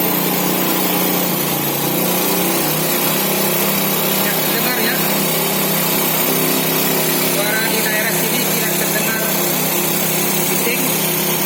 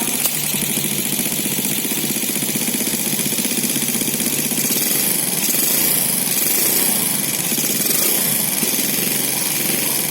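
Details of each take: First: Four-stroke motorcycle after valve clearance adjustment to factory spec: a steady, even buzzing idle with no ticking from the top end. Normal idle. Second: Four-stroke motorcycle idling before valve clearance adjustment: steady idle with light quick metallic ticking over it; valve tappet tick from excessive valve clearance.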